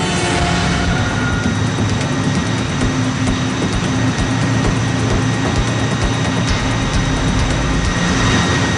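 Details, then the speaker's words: New main engine of a Triple-E container ship on shop test at 110% load, overload test, after a leak was sealed: massive, even low rumble with steady mechanical ticking, no knocks or surges; running smoothly. "now indian load have been raised to 110 which is an overload test the tension is visible"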